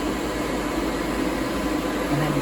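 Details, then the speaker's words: Custom heater blower in a truck under restoration, switched to full blast: steady even rush of air with low hum, not wavering; blower running normally. "crank it down to low speed lower speeds and you're still getting plenty of air flow at there you can you can feel it so it's going to work really well"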